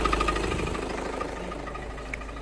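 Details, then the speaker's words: Diesel at low idle: quick, loose metallic knocking clatter that lessens with the clutch pedal down and knocks with it released, no pedal vibration here; failed dual mass flywheel rattle. "this is the sound of a failed dual mass flywheel or DMF for short hear that knocking noise"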